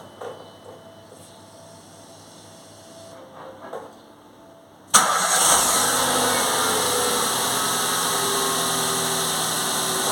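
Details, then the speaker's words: Ford Fiesta engine after replacing a failed water pump (belt also renewed), noise previously under acceleration: fires up and settles to steady, even idle with no squeal from the belt or pump area; fixed. "aí galera vocês podem ver que sumiu barulho ó lembro que tava bem nessa parte aqui ó essa parte que ele tava é ringindo né no vídeo anterior que eu mostrei aí certo agora não tá mais"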